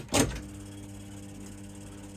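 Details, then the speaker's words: Accumulator slot machine after solenoid replacement: clunk at start, smooth quiet reel motor hum with no rattle, clunk at stop; the earlier horrible vibration sound is gone. "No longer do we have the horrible vibration sound."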